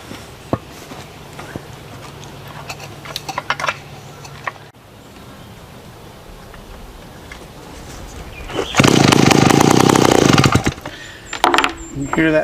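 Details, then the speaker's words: Vintage small chainsaw, 23.5 pounds, straight-tube exhaust, primed then started: quiet priming, then it catches and screams about two seconds with sharp raspy exhaust crackle and a nasty snap; fairly loud; normal running. "Exhaust system is just basically a straight tube. These things are out. I've got it primed, so I'll fire it off. You can hear what these old saws sound like."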